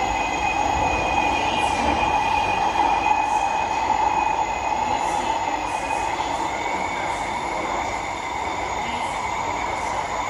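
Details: SMRT C151B train between Bishan and Orchard: loud, steady high-pitched metal-on-metal screech over the rolling rumble throughout; wheel squeal.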